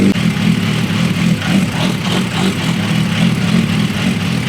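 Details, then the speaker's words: Suzuki Bandit motorcycle engine, long-sitting donor for a formula car, runs rough just after a cold start: uneven, lumpy idle with irregular pulses, code light on, one coolant leak; it smooths out as it warms; cause not confirmed. "Definitely doesn't run great right now. Looks like there's only one coolant leak, which is nice."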